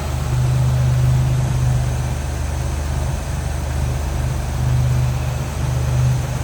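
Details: 1949 Willys Overland Jeepster, 3.8 L GM V6 (guessed Buick), HEI ignition, rebuilt Holley carb, idling with the hood open: deep, steady rumble with an even beat and no tapping or misfire; idling smoothly.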